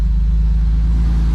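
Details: BMW E12 after fuel tank acid-cleaned and new fuel pump and filter fitted, fuel pressure at 30 with no leaks: steady, even low idle rumble with no misses, surges or knocks; normal idle.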